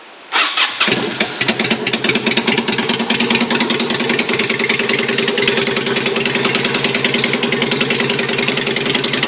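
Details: Rebuilt Yamaha Virago 250cc bobber with custom stainless exhaust, first start after the rebuild: catches quickly and settles into a crisp, even V-twin beat with steady rhythm and no misfires; normal idle.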